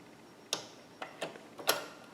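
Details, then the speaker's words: Singer Ingenuity sewing machine: sharp, uneven clicks, about four in two seconds, and it is not sewing. The needle is out of alignment with the hook because the bobbin/hook timing is out of sync. "and you hear that clicking it it's clicking um it's not actually sewing anything"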